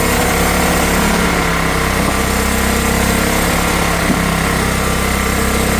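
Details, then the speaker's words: Old Honda generator stored 20 years (barn find), air filter missing, carb issue suspected: on less choke under a drill load it gives a loud, even buzz at steady speed with no surging or misses and puts out power. "But look at that, guys. It puts out power. And it's just got a carb issue."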